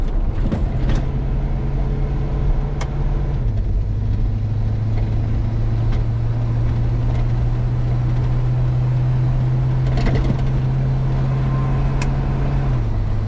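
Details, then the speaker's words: 1973 Chevy C20 with swapped used 4L80E automatic, revved out in first then shifting through second, third, fourth and converter lockup: drone rises then drops stepwise each gear, small rpm dip at lockup; clean, firm shifts. "Alright, so here we go. first gear. Rev it out a little so you can make sure you hear it. Second. Third. Fourth. And lock up. That's lock up."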